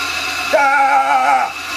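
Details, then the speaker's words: 1940s Delta 14-inch bandsaw motor, first test after rewiring (0.6 ohm winding), run briefly: spins up to a clean, steady hum for about a second and winds down with no rattles or growl; runs very well. "wow holy crap does that run good"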